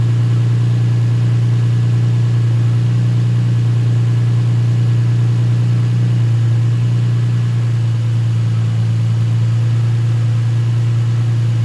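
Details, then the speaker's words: Nissan 350Z after coil swap test and spark plug replacement fixed a cylinder 4 misfire: steady deep even idle with no stumbles, code erased, though exhaust still smokes from oil burning. "Ayan, mukhang wala na yung spire. Check natin ngayon yung coat pero mausok pa rin."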